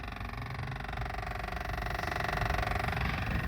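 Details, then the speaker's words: Car with the engine off and a suspected bottom-end noise written up for a warranty engine; quiet, steady light ticking about three times a second from behind the dash, likely an HVAC actuator, not the engine. "now it could be the Reser actuator they thinking oh they got a ticking noise on in their engine but the car is not even running so I'm sure y'all heard that in the beginning"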